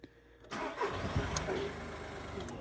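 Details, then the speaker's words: Skoda Fabia 1.4 diesel: catches into a clattery idle with a hollow knock or two at start-up, suspected engine mount but found to be the loose airbox knocking against the ECU. "Oh, look at that. Just the airbox sitting there. Just the airbox sitting in the ECU."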